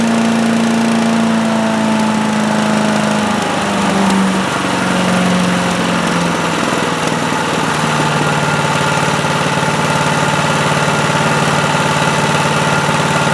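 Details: Predator (Harbor Freight) chipper/shredder with 212cc Honda-clone single-cylinder engine that wouldn't start, found low on oil, started on choke with throttle near high: putter settles from higher to steady lower speed, no misses; normal running.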